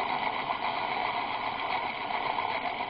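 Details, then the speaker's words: Electric motor with already worn bearings, driven by a ZW-BT1 VFD at about 14 Hz; uneven fluttering hum with a steady high-pitched squeal. Owner suspects the bearings, which may need greasing; the motor runs normally at 40 Hz. "Его что-то сильно колбасит-то. И пищит. Ну, это, наверное, из-за подшипников, я думаю."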